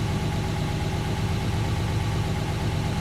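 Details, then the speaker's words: 1969 Mercedes-Benz 280SE (W108), after idle adjustment, following a drive, temperature not yet fully up, new radiator: smooth, even low rumble at steady idle speed, no ticking, misses or hunting; owner judges idle speed good. "And I kid you not, she's happy. I'm happy. I think that's a good idle speed too."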